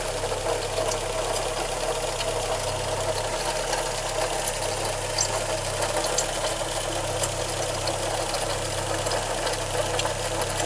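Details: 1988 VW Golf 1 Cabrio, engine code JH: steady idle with a fine, even ticking rattle over the running engine; abnormal noise, cause not determined.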